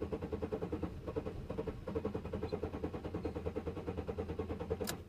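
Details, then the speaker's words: 2000 Chevy Malibu that stalls after fuel filter and tune-up, two-stroke gas mixed in the tank, fuel pump heard running (owner suspects pump): starter churns steadily about three pulses a second, never catches; cranks, won't start. "it wants to start but it"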